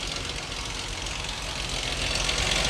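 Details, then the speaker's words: Dodge 2.7L engine at idle, A/C off: light, fast clatter with top-end hiss, seeming to come from one side; sounds like valve train noise, owner suspects possible sludge, not confirmed. "Whoa. Y'all hear that? Uhoh. God, that sound like valve train. Oh boy. 27 not known for val train ticking."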